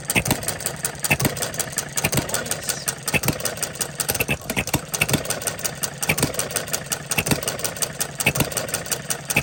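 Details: Coles engine running on regular gasoline, timing about 6 to 8 degrees after top dead center; steady, even firing beats about once a second with no pinging or knock, running normally.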